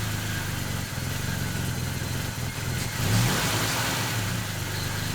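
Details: 1969 Volvo 164 freshly rebuilt inline-six at first start, ignition at 16° BTDC, revved to seat the new rings: smooth, quiet idle swelling into a clean rev with no knocking or rattling; normal idle and rev.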